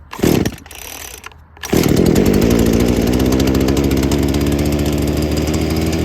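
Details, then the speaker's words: Two-stroke saw on 50:1 fuel mix, cold start after six primer-bulb pumps and full choke: a few rough pulls, then it nearly fires, choke is pushed to half, and it catches into a steady, clean, high buzzing run; normal cold start. "nearly wants to go already so we'll just put the throttle in or the choke in"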